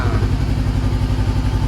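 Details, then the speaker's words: Salvage-auction 2013 Honda CBR500R, first start after oil change and new kill switch: fires right up, even rapid exhaust pulses at steady idle with no knocks or misses, running smoothly. "all right guys as you heard the bike fires right up and it sounds really good so that is amazing"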